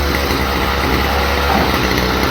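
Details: Stihl FS45 trimmer on its original carburetor: small two-stroke sputters and surges unevenly instead of holding a clean idle, same as before; carburetor not metering fuel properly, to be replaced.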